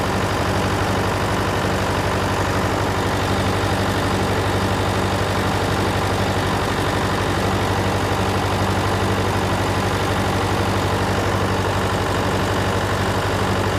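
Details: John Deere 401C diesel idling, with a cracked block and suspected liner O-ring coolant leaks. Heavy, slightly lumpy idle with an uneven beat about three per second. A temperature gauge shows cylinder 3 dead while 4 and the others are hot, so the misfire is traced to a faulty injector.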